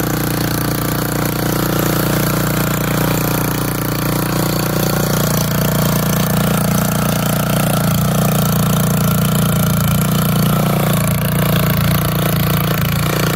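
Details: Old auction-bought Montgomery Ward tiller tilling hard, packed dirt: a loud, steady single-cylinder thump dips slightly as the tines bite and recovers evenly. Healthy running under load.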